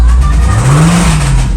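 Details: Jeep Grand Cherokee Trackhawk: engine started and revved, deep rapping knock from the bottom end that grows louder as revs climb; rod bearing knock.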